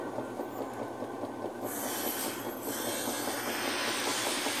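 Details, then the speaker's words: Maytag Performa top-load washer, reported noisy when washing, tested with cushions and mats as load: drum winds up with a smooth rising hiss and whirr, no knocking or grinding; normal spin. "Pero por eso el movimiento de la canasta verdad pero pues lo está haciendo bien el exprimido ahí no hay ningún problema"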